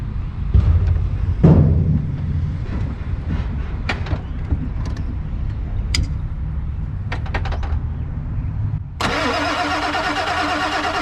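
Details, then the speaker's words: Non-running 1997 Ford F250 4x4 with 7.3L Powerstroke diesel: long low, uneven cranking with scattered clanks, no firing; cranks but won't start. Owner thinks it ran out of fuel; sensor, injector or high-pressure oil problem suspected, air bubbles at Schrader valve. "it out of fuel so okay but wouldn't it fire with it in the fuel bowl right there sure yeah it could be uh that could be a sensor or something injector related high pressure oil related"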